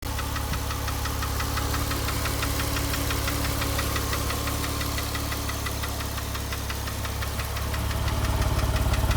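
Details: 2005 Porsche 997 S with Tiptronic, 82,000 km: sharp, regular ticking knock about three per second over a steady idle hum, rising slightly at the end; engine knocking, source not pinned down.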